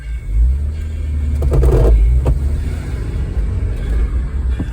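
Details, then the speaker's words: Volvo 240 pulling away in first gear, noise under the center armrest area: low heavy rumble with knocks; worn, misshapen driveshaft center support bushing with bent spring lets the shaft bang against the tunnel. "And what's happening is the drive shaft is shaking in this bushing, and the bushing gets weak and it bangs up against the tunnel here."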